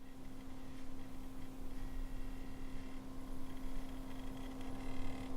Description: There is a weird noise from the liquid pump. What is the cause of it?